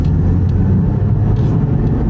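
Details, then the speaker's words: Test drive during inspection: a deep, steady droning roar in the cabin from extremely loud, badly worn front wheel bearings shaking the whole car, plus a CV axle shimmy; bearings marked for urgent replacement. "And just take a listen to these wheel bearings. They're ridiculously loud."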